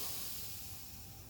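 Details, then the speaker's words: Victor-style oxy-acetylene cutting torch at shutdown, with the oxygen torch valve opened to bleed the regulator pressure to zero for storage. A steady, airy hiss fades slightly as the pressure drops, which is normal. "All right, go to your oxygen. I'm going to open this valve, and we're going to see all that oxygen go down to 0."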